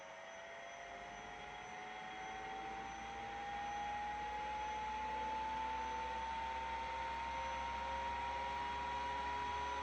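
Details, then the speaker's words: 5.25-inch vintage RAN hard drive at spin-up: steady whine climbs in pitch and keeps rising past normal speed as the spindle overspeeds; drive not working, suspected PCB problem. "Uh-oh. The spindle is spinning way too fast. Yeah, I think the spindle is spinning way too fast."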